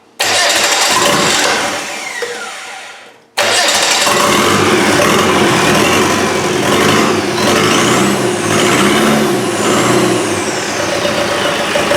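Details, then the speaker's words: Land Rover 200Tdi diesel on a test fuel setup, oil pressure confirmed: catches after a short crank, then a steady even clatter with smooth revs and no knocks; normal running after start. "oh we got s I'm just going to open me door it sounds promising doesn't it"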